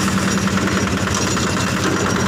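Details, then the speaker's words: Yanmar single-cylinder diesel on a cement mixer after service, started with the crank handle; steady, even clatter with no misses, knocks or surging, mixer drum turning; smooth, healthy normal idle. "Ya sepertinya MC ciri khas diesel Yanmar ya suaranya halus Jepang Yanmar ini sudah clear dan molornya sudah berputar"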